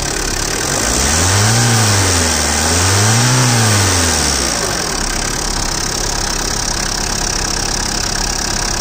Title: Tata Indigo CS, Dsl, 2008, RJ02, Engine noise.